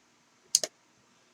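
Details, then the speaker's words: Porsche 944 (1985.1) DME relay bench test with 12 V applied, positive to pin 86 and negative to pin 85: a crisp double click then another click as the relay switches; the later 0.8–0.9 ohm reading across pins 30–87 shows the relay is bad. "did hear the relay switch and now this should be the same reading"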